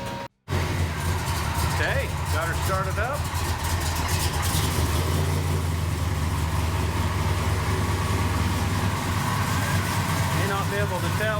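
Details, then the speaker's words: Truck (Crusty, K5) after finishing new exhaust work with tips: engine catches and settles into a smooth, steady low idle rumble with no ticks or leaks; sounds the same but about 15 decibels quieter. "with the video but this thing is so much quieter it still sounds about the same it's just attenuated at about 15 decibels so it's way better"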